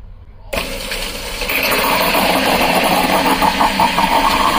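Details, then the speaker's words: Boat bilge pump switched on by button at the marina: after a short silence the motor kicks in and settles into a steady whirring hum that holds even; pump works fine. "she goes. She's a-working. Alright, so our bilge pump we know is good."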